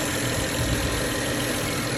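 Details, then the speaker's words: 2009 BMW 535i petrol engine at idle after oil pan gasket replacement, fresh 7 quarts of synthetic oil and new Vanos solenoids: smooth, steady, clean idle with no misses or knocks, building oil pressure; no leaks; spark plugs still due. "So with the Vanos solenoids being replaced, it sounds to be idling pretty nice and clean now. It's a nice and steady idler."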